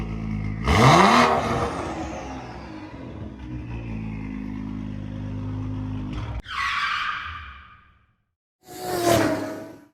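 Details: 2011 BMW 335xi N55 engine after spark plug replacement, checked for misfires: catches quickly and settles into steady, even idle with no stumble or miss, some whooshing afterward; normal idle.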